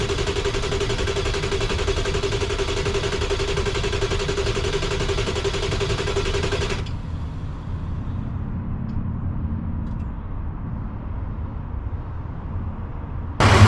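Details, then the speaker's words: 1995 Ford F-350 7.3 Powerstroke diesel, freezing cold, crank no start after IPR valve and CPS sensor replaced; starter churns steadily about four beats a second for seven seconds, engine never catches. Owner suspected IPR valve; cause unresolved. "all right so the blue truck didn't crank up so now we're going to go deliver it to Georgia diesel works up in clev Georgia hopefully get it back and running"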